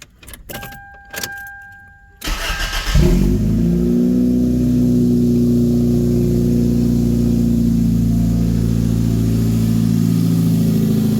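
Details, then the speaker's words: 1997 Toyota Corolla 1.6L after installing new header, downpipe and catalytic converter, no muffler yet: cranks, catches and settles to a loud unmuffled drone; slight air leak felt at the joint, to be tightened. "so just kind of run your hand across there make sure there's no leaks like I feel a little bit of air coming out I feel a little bit of air coming out down here so I will tighten these up"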